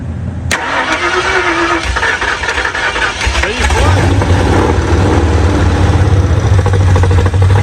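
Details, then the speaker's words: 1968 Ford Mustang with a 302 V8 swapped from a 90s Mercury, first start on a primed carburetor before fuel is hooked up. It cranks briefly, then settles into a loud, uneven, loping idle with a deep throb, which the builder attributes to the cam rather than a miss. "you except for the miss it sounds pretty we just need to get some gas hooked up to it now it ain't got no Miss that's that cam sh"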